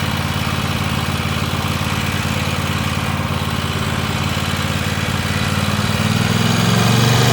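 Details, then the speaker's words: Free Weed Eater tractor's Tecumseh twin-cylinder (TVT691) on its first run after oiling the cylinders, new oil and oil filter, and refitting the plugs: it started right up, with an even idle of about three pulses a second, no misses or knocking, while warming up; normal idle. "That thing runs good. >> That started right up good. Yeah."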